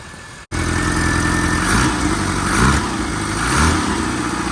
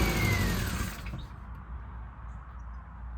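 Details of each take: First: Classic Mini Cooper first start after fuel tank and pump wiring were cleaned and rewired: catches immediately, fast idle with gentle rise and fall, running normally; it later overheats and pushes coolant. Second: Classic Mini Cooper, first start attempt, running only on carb cleaner sprayed into the throttle body: catches and roars about a second, then sags and dies; fuel not reaching injectors, fuel pump suspected; fuel starvation.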